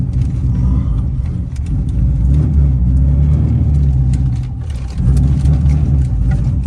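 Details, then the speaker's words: C7 Corvette V8 after cam replacement following failed cheap eBay lifters, test drive before the dyno; deep even drone under light cruise, smooth, no ticks or knocks over road rumble; normal engine running while driving. "Driving pretty good. Yeah, this thing is cruising down the road nice and smooth."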